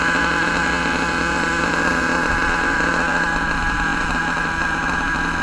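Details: HPI Savage nitro monster truck with LRP ZR32 engine: high, steady screaming pitch with no sag or lean surging after backing the high-speed needle off from lean; high-speed mixture now about right.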